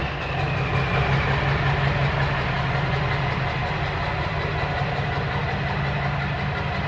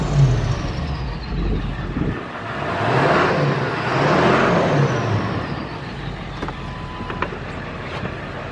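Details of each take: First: Dually diesel pickup idling just after straight-piping, muffler removed; loud, steady open-exhaust throb around three pulses a second, even and settled. Owner suspects a slight misfire and smoke only when revved, none at idle. Normal idle. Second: Straight-piped dually diesel truck revving after straight-pipe install: loud exhaust stumbles unevenly under throttle, smooth at idle; owner suspects a misfire only when revved, possibly causing the smoke, not confirmed.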